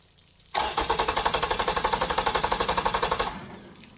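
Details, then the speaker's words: Yamaha outboard on a 1980–81 Suntracker pontoon, after carburetor cleaning: it fires and runs about four pulses a second, then falls flat and dies because the tank fuel vent was closed and the primer bulb wasn't soft; fuel starvation stall. "that's exactly what it was doing to me yesterday of course it might help if I had the fuel vent open bulb wasn't soft"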